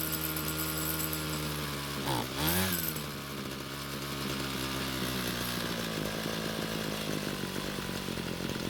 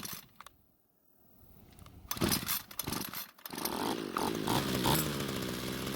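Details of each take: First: Cheap Homelite string trimmer that wouldn't start, after fuel system work: two-stroke buzz wavers and sags, then stalls once warmer; lean low-speed mixture starving it, fix planned by turning L screw a quarter turn counterclockwise. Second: Homelite string trimmer two-stroke that wouldn't start; after it stalled once warm from lean low-speed fuel, L screw turned out about a quarter turn; small two-stroke fires and settles into steady raspy buzz, running normally.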